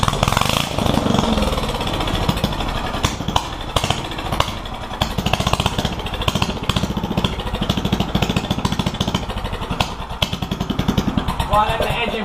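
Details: One-seater Yerf Dog go-kart with a newly installed 420 Predator engine during break-in: single-cylinder putters along at gentle low revs with steady firing, no knocking or rattling; sounds healthy.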